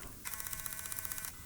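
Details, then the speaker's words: Broken Canon PowerShot A520 digital camera switching on: about a second of fast ratcheting whir as the lens motor drives, then a sharp click; the lens struggles to open and won't focus, and the owner suspects the lens mechanism is broken inside. "does not sound good it doesn't work it doesn't open here although now it is but it has problems it's not focusing the the image is very blurry so the mechanism of the lens is may be broken inside"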